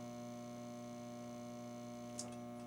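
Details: Atari Asteroids Deluxe arcade machine: only a steady low mains hum remains, the vector monitor's high-voltage beam chatter gone silent; dead monitor, earlier gave two high beeps suggesting possible RAM fault.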